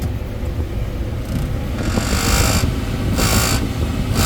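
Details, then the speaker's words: Brand new refrigerator condenser fan motor: heavy, uneven low rumble with airy hiss as it runs and vibrates loudly; nothing loose, likely a bad motor. "there's uh nothing really long wrong with the motor the sticker is on backwards but when it runs it vibrates"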